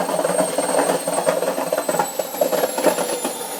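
Busy, irregular rattling and knocking with a high whistling tone over it, far louder than a normal wash; cause not clear. Cause suspected, not confirmed.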